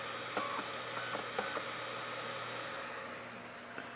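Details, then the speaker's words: LG DVD drive in a USB 2 enclosure reading a disc: quiet hum with short irregular chirping seek bursts as it keeps hunting; slow disc read with repeated seeking, much slower than the older drive. "You see how slow the newer drive is? The old drive just read the disc. It didn't mess around. It just read the damn disc."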